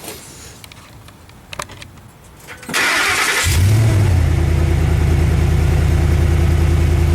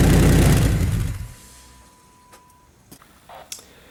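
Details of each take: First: Petrol truck with MagnaFlow dual side-exit exhaust, after exhaust leak repair with clamp: cranks, catches and settles into smooth even idle with no exhaust ticking or puffing. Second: Truck with aftermarket MagnaFlow dual side-exit exhaust started up: loud, deep exhaust roar as if no muffler, from a crack at the muffler joint/seal, rumbling like straight from the headers; fix planned with an exhaust repair clamp.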